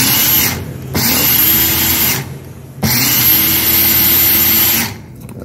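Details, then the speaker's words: Blender that would not run, tested after cleaning: two-second bursts of strong, even motor whine start and stop cleanly; the fault was lack of lubrication, and the cup safety latch must be engaged for it to run. "Então, aparentemente tá funcionando."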